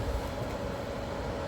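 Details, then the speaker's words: Frigidaire ice maker under repair; cooling fan kicks on after delay, steady even mid-pitched hum with soft whoosh, no rattle or scrape; fan running normally, faint hum possibly the water pump. "But this fan, I'm not sure if it's supposed to. Oh, there we go. The fan is on."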